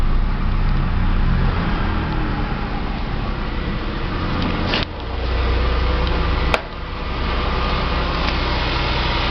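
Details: Fiat Palio Adventure after battery would not hold charge, engine finally started: steady even idle with low rumble, no misses or knocks; normal idle, charging being checked.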